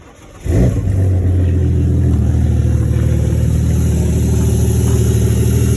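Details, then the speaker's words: Ford Falcon cold start after sitting a while, driven briefly so slightly warm, before an engine swap: catches and settles into a fast, slightly uneven idle with a low puffing rasp, from a known small exhaust leak in the middle of the system. "that but now it's going good uh it does have a little exhaust leak in the middle that I've known"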